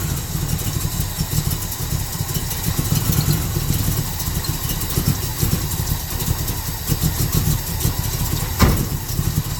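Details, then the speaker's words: Monte Carlo V8, cold, after choke work: engine chugs at a low uneven idle that never rises to fast idle and sags toward stalling; choke fast idle not engaging, or barely on. "Okay. Uh, as you can hear, the fast idle is not kicked on, or if it is, it's barely on."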